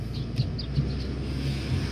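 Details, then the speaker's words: Mazda Tribute test drive after lower ball joint replacement, turning: only steady low road rumble, no clunks, pops or creaks from the front end; noise while turning fixed. "let's go ahead and make some turns here no noise at all"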